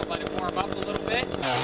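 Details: Echo CS-400 two-stroke chainsaw cutting ash in about 40-degree cold, after chain sharpening and tension adjustment; pulses steadily under load then settles into an even high whine, pulling cleanly on a sharp chain.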